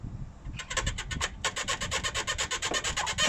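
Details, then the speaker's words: MG ZS (Rover 45) squeaking when braking, pulling away and over bumps: levering the front lower control arm on a ramp gives rapid, high-pitched rubbery squeaks from the worn lower arm bush, not body rubbing on subframe. "so it's that bush a lot of people told me that this bit of the body here rubs on the um subframe and that's what causes the squeak"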